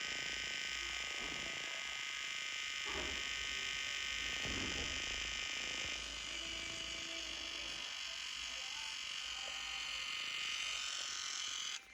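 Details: Brand new Xiaomi Fimi X8 SE 2020 drone powered on: shrill, steady electric buzz from the camera gimbal, cutting out twice for a few seconds; drone also reports SD card error.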